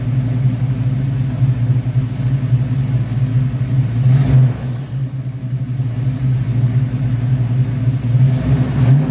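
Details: V8 first start on a rebuilt 1969 Corvette Rochester Quadrajet 7029202 carburetor (ethanol-damaged fuel bowl cleaned up): steady, even idle with a couple of quick throttle blips that rise and settle cleanly; normal idle with blips.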